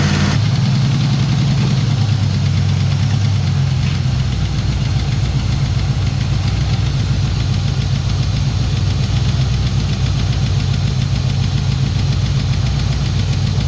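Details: Turbo Trans Am during break-in after partial overhaul (new cam, new turbo, valves set to zero lash). About 15 minutes in, a lumpy idle with a rapid ticking about three or four a second, plus misfires. Excess valve play was later found; hydraulic lifter suspected.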